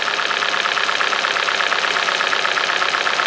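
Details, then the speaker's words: Kia/Hyundai 2.0 engine on first start after timing chain, sprockets, VVT solenoids and exhaust camshaft replacement, having sat a while. The idle is uneven with a stumbling pulse and light ticking; a cylinder misfire. "I see a little bit missed. I hear a little slight ticking, but the misfire just came in."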